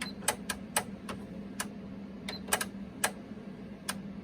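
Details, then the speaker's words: Panasonic RX-DT501 boombox, deck 2 after belt rejuvenation, not playing: sharp dry clicks repeating irregularly about two a second over faint hum, the deck solenoid cycling; belt was installed incorrectly. "See, by the way, that's the sound of the uh of the uh solenoid."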